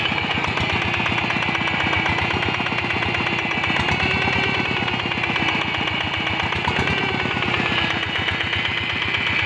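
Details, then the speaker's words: Single-cylinder diesel tractor engine with a power problem while working rice fields, running at fast idle: a steady thump with a dull, laboring, heavy note. Low power; the cause is still unknown. "Nah di sini sudah kita lihat mesin sudah hidup, jadi suaranya agak berat ya guys, sehingga menyebabkan tenaganya kurang waktu dipakai menggarap sawah di lokasi ya guys."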